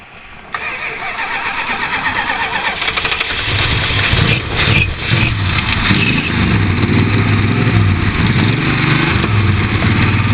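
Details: 1978 Chrysler Cordoba at a flea market, after checking battery cables, choke held open, possible flooding: long churning crank, then catches into a rough, uneven idle about two beats per second; hard start, cause not confirmed.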